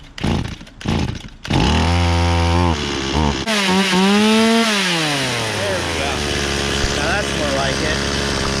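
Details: Stihl 018C 32cc chainsaw, sat unused for a year, restarted on choke: sputtering attempts, then it catches and holds a clear buzz that climbs and settles with the throttle; running.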